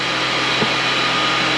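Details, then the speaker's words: Toyota 4Runner at idle after exhaust manifold replacement, exhaust leak gone: steady high-pitched whine over smooth idle, unchanging pitch; sounds like a pulley going out, AC pump still connected, suspected idler pulley, unconfirmed. "uh I won't know until I drive it sounds like a pulley's going out for some reason they still have the AC pump hooked up"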